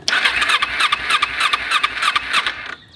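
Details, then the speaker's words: Kawasaki Ninja 250 with carburettor, stored about four years with a full tank, cranked with choke on while fuel leaks from a hose; fast starter chatter with brief firing bursts that die; hard starting. "when you crank you turn on the choke and you can see it wants to start on this hose when I crank it"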